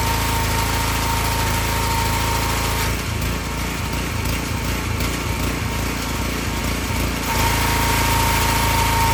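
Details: Excel XR2500 pressure washer with 5 hp Honda engine that used to run 15 seconds then stall: after replacing bad spark plug, steady even drone briefly dipping under load and recovering; runs smoothly, no stalling.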